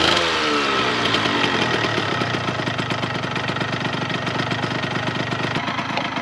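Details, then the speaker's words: 1998 Yamaha RZ50 two-stroke 50cc, restored engine started after fixing an exhaust leak: brief rev settling to a quick, even, buzzy idle, quiet and healthy with typical two-stroke high tone. "なかなかね静かでいい音ですね。だけどツーストらしいやっぱり高温の音がするような感じで、あとやっぱりツーストのオイルが燃えた時のね白煙と匂いね、やっぱりツースト独特のならではというか、なんかやっぱりいいなと思いますね。"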